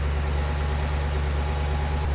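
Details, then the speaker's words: Audi C5 RS6 V8, first cold start the morning after cam belt and cam chain tensioner replacement with cheap Chinese tensioners: deep, even burble at steady cold idle with no chain rattle, ticking or rubbing; healthy, normal cold idle. "So we've got no rattles, no noise, no rubbing. Everything is good."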